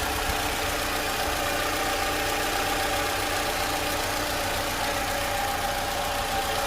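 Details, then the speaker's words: 2012 Toyota Camry 2AR-FE after an engine noise repair, on a cold start after two days with the oil light out within half a second. A smooth, even hum with no ticking or knocking: normal idle. "this is the sound after it was repaired and this is pretty much the normal sound for the camry engine"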